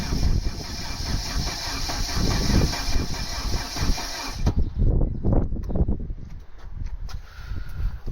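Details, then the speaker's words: Mk3 Vauxhall Astra 1.6 LS saloon not started since 2009, very little petrol in tank: rough uneven starter cranking for several seconds without catching; cranks but won't start, owner suspects too little fuel. "i just sent kenzo a way to get a gallon of petrol for that that i'd asked her because i couldn't get it to fire up there"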